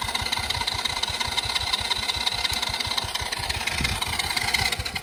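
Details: Cheap Chinese kids quad that sat for years, fuel flow just corrected: steady starter cranking about three beats a second, no catch; cranks but won't start, spark suspected lost, kill switch on.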